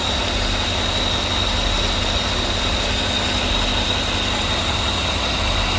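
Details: Mechanical vacuum pump removed and deleted (holes plugged), brake booster teed into the intake; a steady, even idle with a constant hiss and no lifter-like ticking now the noisy pump is gone.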